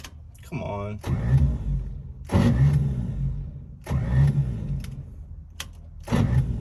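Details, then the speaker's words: 1955 Chevy revival attempt with starting fluid sprayed in: several even cranking bursts but it never fires; crank-no-start, no fuel being pulled suspected. "so that didn't work it's gotta turn it over it doesn't sound like it's firing though"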